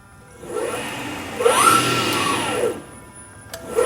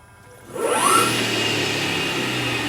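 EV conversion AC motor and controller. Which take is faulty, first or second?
second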